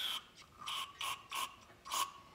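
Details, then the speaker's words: 8hp Tecumseh engine off a Noma (Murray) snowblower with bad old gas, carburetor being cleaned: five short, sharp spray-cleaner bursts pass straight up through the carb without choking, so passages are clear. "okay that sounds good what you want to listen for and make sure it's actually coming through the carburetor"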